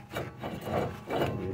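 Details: Removed hub assembly from a 2009 Nissan Xterra (two-wheel drive), spun by hand before replacement with new hub: rough, gritty rasping swelling and fading with each spin, about two pulses a second; worn wheel bearing.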